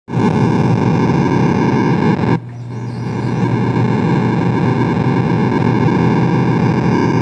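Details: Williams Space Shuttle pinball showing CPU board error code 8: a harsh, steady buzz with hiss and constant hum over everything, briefly dipping then returning; faulty audio output from the sound board suspected, not confirmed.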